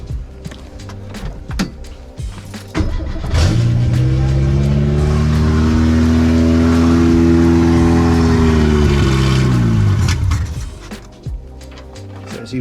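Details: Renault 8 (R1132) with swapped 1397cc C2J engine, no exhaust fitted, possible air leak and timing not yet set: catches after uneven clatter, holds revs, then sags. Runs better on throttle but rough at low revs; cause suspected.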